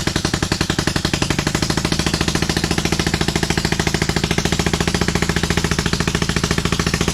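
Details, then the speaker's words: 27hp engine in a Lesco Viper 54" zero-turn mower while trying to drive it, low on power: hard, choppy thumping of about three beats a second, running on only one cylinder. "I don't know if that, that pulley ratio is all off, or kind of feels like the engine doesn't have a lot of power. That's interesting."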